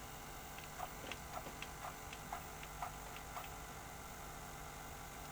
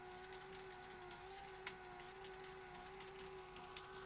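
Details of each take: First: Look, I'm going to select freeze frame and we can step forward and that's working and it's tracking properly too. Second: Sony SL-HF950 SuperBeta Betamax during picture search while rewinding: wavering tape-transport whine with ticks and squealing as tape snags on a head, then stalls; capstan servo problems, tape path cleaning next.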